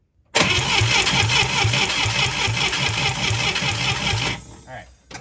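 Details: International Scout 800A, sat in a barn for years, while checking ignition spark at coil and distributor: even cranking about two to three turns a second for four seconds, never catches; cranks but won't start.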